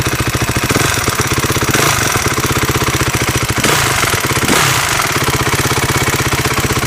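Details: 2012 Honda CRF250 single idling with a quick, even tick on each firing pulse, steady through blips; top-end ticking noise, cause not determined.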